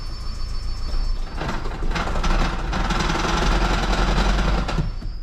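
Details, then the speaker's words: Toyota Prius after EGR, EGR cooler and intake manifold service, water pump code, owner suspects head gasket, milky oil: engine catches and runs rough with loud uneven metallic rattle for a few seconds before shutting off; cause not confirmed. "Oh, shit, that sounded bad. What the heck was that?"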